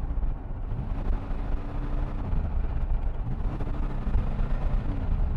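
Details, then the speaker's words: DeLorean driving in traffic; it also has a long delay going into gear. The engine drone sags and stalls when floored, then recovers, repeatedly. It stalls with too much throttle; cause unknown. "now once I do get enough speed it does seem like it can save itself so I floor it but then it stalls and it comes back"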